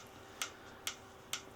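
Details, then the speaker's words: Ferrari clutch bell housing on the bench after cleaning: three sharp metallic clicks about half a second apart as the part is rocked by hand; a nut on the bell housing is loose. "One of the things I found, I'll show that in a minute, one of the things I found though is that this nut here is loose. And I don't know if you can hear it, hold on a second."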